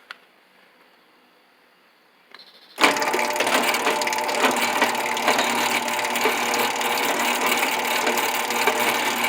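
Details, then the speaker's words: 10-foot Helpmate garage door opener, V-belt drive with top limit switch: steady motor hum with a busy belt whir and light rhythmic rattle about three beats a second, plus a noise at the end of travel; running normally. "see the v-belt running in there that noisy here is the switch at the limit switch on top and that noise you hear at the end"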